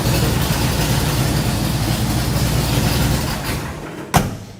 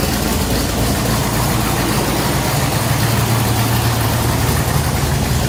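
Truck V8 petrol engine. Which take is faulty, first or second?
first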